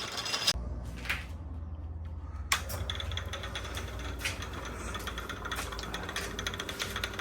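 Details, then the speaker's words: Drummond Type B mini lathe on an aftermarket bolted-on drive frame: soft steady running with sharp knocks about every second from the engagement tab between the three-step pulley and the gear; owner may adjust it out. "So, the noise you can hear, there's an engagement tab between this three-step pulley and this cog here. Gear here. Um, I may be able to adjust it and take some of that knocking out, but other than that, pretty happy."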